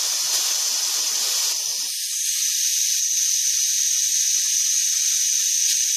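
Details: Steyr LG 110 FT air rifle regulator, being serviced for pressure fluctuations: steady, high, even hiss as the air cylinder is screwed in and air vents through the regulator, indicating the Belleville washers are probably working; proper function still unconfirmed.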